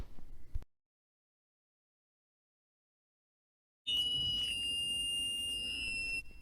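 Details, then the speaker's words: Receiver-in-the-ear hearing aid after cleaning debris and replacing a clogged earwax filter: after brief silence, a steady piercing whistle at one high pitch for about two seconds; feedback squeal shows the aid is working. "If you hear it squealing, it's working."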